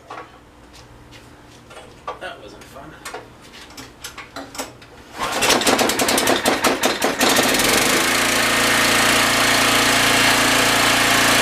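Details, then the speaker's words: Generac 6500 generator with no power output, brushes energised from a battery: small engine catches and revs, then about eight seconds in drops to a deeper, labouring drone as a shorted generator head loads it down, with possible smoke. "so when you hear the engine go under load like it did towards the end that means that it's drawing some type of power and it's just frying itself more or less"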